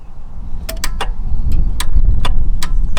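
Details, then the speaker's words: Mk1 Toyota MR2, key turned in neutral: sharp irregular clicks about two a second over a low hum, no cranking; relay clicks but starter not engaging. "Oh no. We've got clicking, but nothing's happening. Nothing is happening at all."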